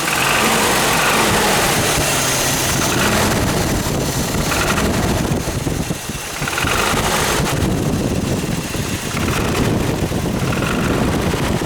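Engine running rough with a loose metallic rattle over idle and light revs, a rattle from the engine whose cause isn't pinned down. Cause suspected, not confirmed.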